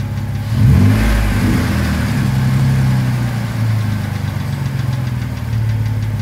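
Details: 2009 Jeep Wrangler JK petrol engine idling with a brief rev: a light, fast ticking faintly audible over the low hum.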